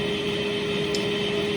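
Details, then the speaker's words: Precor 964i commercial treadmill at maximum speed: steady even hum with smooth belt whir, no knocks or rubbing; normal running. "As you can hear, it's as noisy as you would expect a commercial treadmill at full speed to be going."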